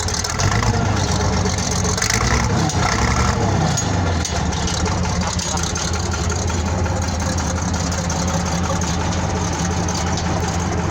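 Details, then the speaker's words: 1970 military Case 1150 bulldozer diesel, 52 years old, original 1385 hours, just started and smoking: deep, steady diesel rumble staying even, no knocking or hunting; healthy idle. "So, start the old girl up. She sounds good."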